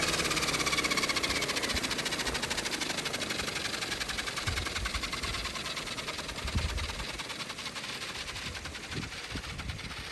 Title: 730E strange noises